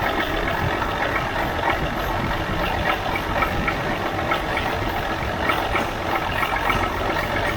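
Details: 1977 Mack R-model diesel truck, after cracking injector lines loose again: steady churning crank for seconds without firing or rising in speed; turns over but never catches.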